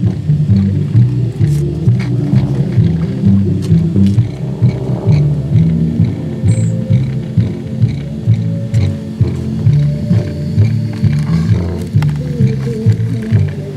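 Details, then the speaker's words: 1976 Magnavox console stereo 8-track player. The tape plays back as a low, growling, garbled drone pulsing about twice a second instead of clean music. A dirty tape head is suspected, and the head was cleaned with alcohol. "so is this a dirty head okay i cleaned the head with some alcohol"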